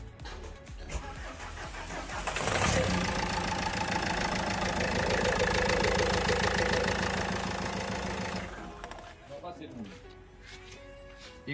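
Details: Renault Duster diesel with morning long-crank starting problem, first cold start next morning after replacing faulty injector washer: short crank, catches at once, steady even clatter with no misfire; healthy cold start.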